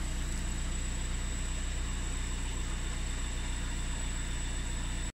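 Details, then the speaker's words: VW Sharan 7N2 2.0 TDI 150hp after a diesel filter change and VCDS lift-pump bleed: a smooth, even diesel idle clatter with a steady whine and no misses or knocks, left running briefly and then shut off cleanly. "Un petit démarrage. Voilà, donc un démarrage normal. Donc je laisse tourner un petit moment et je coupe."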